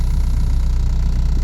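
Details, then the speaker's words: 1994 Toyota Corolla 7A-FE idling with A/C on, heard from inside the car: deep constant droning hum felt as much as heard; worn left-side transmission mount passing excess engine vibration into the body. "is due to a bad motor mount and in this particular case is actually a transmission mount but the motor the transmission are connected so it's basically the same thing but what happens is you get a lot of extra vibration"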